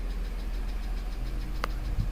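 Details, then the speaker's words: 2007 BMW X3 3.0si idling, towed in unable to accelerate over 5 mph, with Valvetronic servomotor, VANOS intake and tank-venting valve codes: fast, even light tapping over the idle; source not yet pinpointed. "so we got to find out where this tapping noise is coming from"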